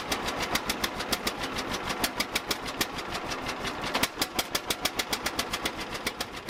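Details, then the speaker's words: 1950 John Deere Model A, first start after about six years sitting; plugs were wet from flooding, blown off and refitted: slow, sharp, uneven exhaust popping about six beats per second as it catches; rough running after flooding, small manifold-to-pipe leak. "they were wet so it was flooded I blew them off put them back in we'll try it again"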